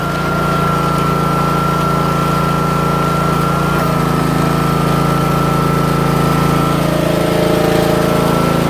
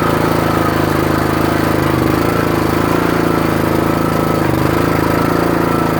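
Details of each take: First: Troy-Bilt/MTD 27-ton log splitter, about 120 hours, after valve repair and refilling fluid to purge air: small engine holds a steady speed with an even drone and faint hydraulic pump whine, no knocks or surging; normal running. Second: Troy-Bilt/MTD 27-ton log splitter with about 120 hours of use: a loud single-cylinder putter with uneven, labouring, sagging beats. Engine bogging under load on the return stroke unless the valve handle is held up, and getting worse; owner suspects the valve (Energy 326890).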